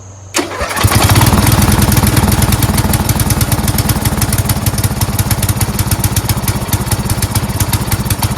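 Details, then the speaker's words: Four-wheel-steer lawn tractor after carburetor and fuel line replacement: the engine catches within a second and settles into an even, steady chug with no stumbles or hunting, idling cleanly. "bottom sounds great"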